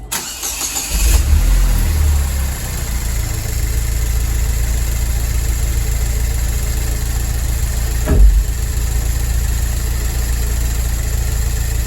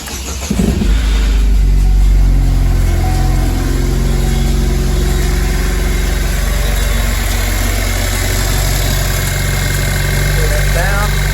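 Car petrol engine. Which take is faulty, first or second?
second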